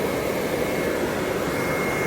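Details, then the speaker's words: RV furnace on the bench after a blower motor replacement, powered from a battery with alligator leads; the old motor was too weak to push the sail switch. Now there is a steady, strong rush of air with a faint hum, and no rubbing, ticking or scraping. The blower runs fine. "so now that I know the blower motor is fine no noises no rubbing everything's good"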